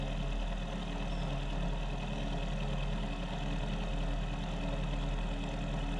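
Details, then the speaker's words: Mill spindle after repair, cutting at 1 mil depth of cut with a possibly dull cutter: smooth, steady low drone with no chatter or knocking, much better than before repair at the same depth; normal milling cut. "That sounds a lot better than what it did last time at the same depth of cut. Be 1 mil depth of cut."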